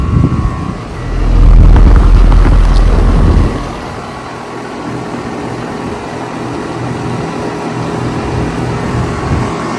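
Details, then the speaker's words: Carrier R410A air conditioner (original except new Broad-Ocean fan motor and logo, Parker liquid line filter drier) starting up: heavy low rumble then smooth steady scroll compressor hum, no knocks or rattles; healthy, coils clean. "Just listen to this scroll sound. Coils are still really clean though."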